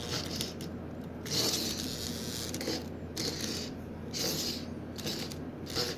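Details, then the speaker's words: Marx 999 toy train locomotive motor, unrun for decades: faint uneven whirring breaking into scratchy stuttering buzz as oxide-covered brushes and armature begin to move, before silicone lubricant is sprayed into the armature. "now these brushes and the armature are covered in oxide you hear it's beginning to buzz a bit of movement in the armature"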